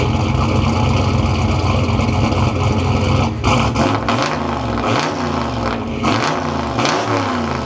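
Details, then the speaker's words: Turbo Foxbody Mustang started properly after rewiring the starter solenoid trigger through a relay to stop it blowing the 10 amp fuse; microphone at the exhaust: loud steady idle, then sharp clean throttle blips; starts and runs healthy. "All right. Ladies and gentlemen, it is time to finally start this thing properly. I'm going to put my microphone at the back here so you can get a full on exhaust clip."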